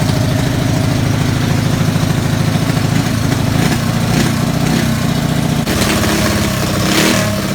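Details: Single-cylinder race car first started in about 15 years (race stickers from 2005), in a garage: loud, choppy bark running steadily after starting, with a little throttle blipping. Sounds healthy.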